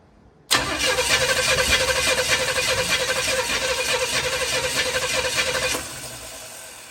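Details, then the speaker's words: $100 Chevy 350 V8 with fitted intake manifold, going in 1972 Chevy 4x4 truck, start attempt: starter spins steadily about five seconds with no firing; owner hears no fuel, suspects ignition timing is off; crank no start. "I don't hear any gas in there. I'm like not getting any fuel. I think our timing might be off."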